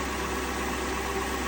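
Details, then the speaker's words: 2002 Lexus LS430 idling with a new alternator: a smooth, even idle with only a faint steady hum and no whine, much quieter than the old unit. The whine remains in the stereo and CD player, though not over Bluetooth. "I have a new alternator that seems to be doing just fine. It's a lot quieter than the previous one."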